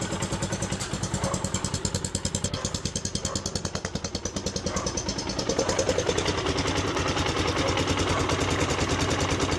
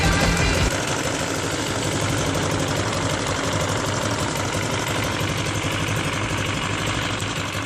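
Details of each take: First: CRZ 150 SM single, about 550 km, whose engine noise came from a missing spring holding the camshaft gear shaft: an even idle with steady exhaust pulses and no knocking, tapping or rattle; healthy. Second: CRZ 150 SM motorcycle bought at 550 km, noise present since new: light, uneven tapping about four times a second over idle; caused by a missing spring that retains the camshaft gear shaft.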